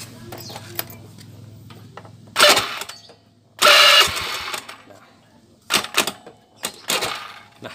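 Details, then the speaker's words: Honda Beat (old model) electric starter giving short harsh squealing bursts on each press; suspected worn bushings or loose magnet. "Dinamo starternya bukan mati, namun mengeluarkan bunyi tidak sedap didengar, seperti bunyi ketika kita starter itu ada bunyi yang tidak nyaman kita mendengarnya."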